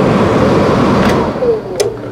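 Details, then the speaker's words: Dometic RV furnace model AFMD30121A, bench-tested with thermostat wires jumped and gas on; blower hums steadily with no spark ticking, igniter not striking; faulty control board suspected, corrosion from condensation seen. "i kind of don't think it's uh trying to ignite i don't hear it striking"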